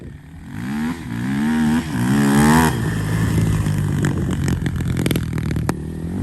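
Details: 2007 Honda TRX450 quad, by the owner's guess, single-cylinder: engine blipped up and down, rising and falling smoothly with the throttle, no knocks or rattles; normal running and revving.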